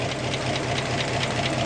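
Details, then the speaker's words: Ford F600 dump truck with old 290 engine hauling its first load of heavy wet dirt uphill, radiator smoking: heavy, strained drone with a dull knocking edge under load; labored engine struggling on the climb. "I don't like that sound either but all the way sounds like she's uh sking too"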